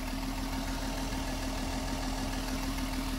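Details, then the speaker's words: Mercedes M130 with mechanical fuel injection, at operating temperature, pump set 12 turns in from the stalling point and the air screw opened to reach 750 rpm: smooth, steady idle with no hunting; runs great. "you want to get this up to 750 there we go that's perfect right there"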